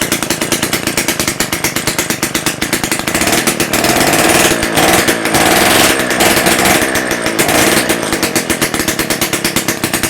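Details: Rebuilt Romet S38 two-stroke moped engine, Almet cylinder, new parts, first start after overhaul without muffler: loud crackling buzz firing evenly, picking up smoothly as revs rise; normal running.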